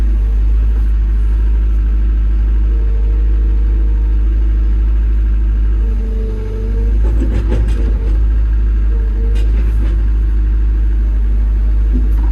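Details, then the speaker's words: Develon excavator diesel running after service, clear dash, no error codes, new pilot accumulator fitted: deep steady drone with brief dip and some clatter midway, no knock or whine; healthy. "It's got a new pilot accumulator on here. So it's got nice smooth hydraulics again."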